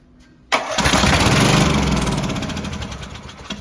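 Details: Troy-Bilt 7550-watt dual-fuel generator, Briggs & Stratton single-cylinder, after fixing a bad electrical connection that stopped starter and carburetor solenoids; started with starting fluid: catches at once and settles into an even, steady run with no misses; healthy start.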